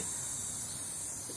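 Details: Car audio preamp model RA305 powered with no music, treble controls turned up: steady harsh high hiss like falling rain; noisy preamp awaiting repair.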